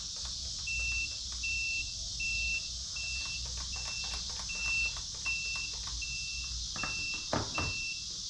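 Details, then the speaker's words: 10-year-old Mini Gator Tours RC airboat on a Traxxas NiMH Power Cell battery: short high ESC beeps about every three-quarters of a second, no motor sound; motor gets no power. "oh it stopped beeping but still not getting any type of power"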